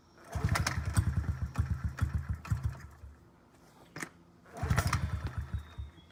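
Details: 2009 Honda CRF50F pit bike, not started in 2 years, kickstarted with choke up: bursts of chuffing that catch briefly then die, long gaps between tries; hard starting, about 6.5 minutes of kicking, from the choke left on too long.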